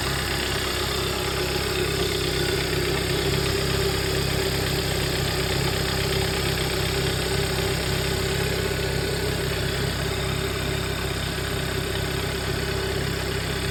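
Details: 2011 Hyundai Sonata idling: steady rough, uneven low throb with a faint buzzing vibration, with shaking felt in the pedal and weird noises; source of the shake unclear, cause suspected, not confirmed.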